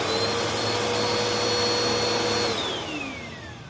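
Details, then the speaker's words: Bissell Powerforce Helix vacuum (purple unit) motor check: steady high whine at constant pitch, winding up and down smoothly with no screech, grinding or burning smell; sounds healthy. "Well, that one sounds okay as well. All right, I don't smell anything burning. Wind up and wind down are all right, no screeching."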